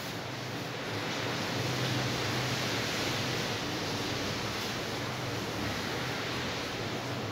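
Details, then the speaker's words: Britânia BLC04FI evaporative air cooler after reattaching its loose oscillation mechanism, now oscillating again: steady even fan rush with faint low hum, no rattles, clicks or scraping, running normally. "agora sim ele está oscilando, como vocês podem ver."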